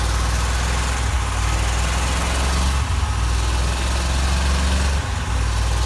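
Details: 1987 Corvette engine, flooded and cleared by blowing out cylinders with compressed air and refitting plugs, now runs with deep stumbling rumble dipping every second or two; dies when throttle released and floods again, fuel getting into oil; owner suspects fuel seeping past rings.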